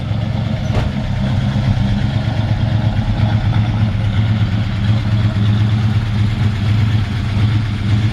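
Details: 1948 Ford F1 pickup, original truck, idling cold with choke pushed in slightly too far: even, low burbling exhaust idle, steady beat with no knocks or misses, healthy.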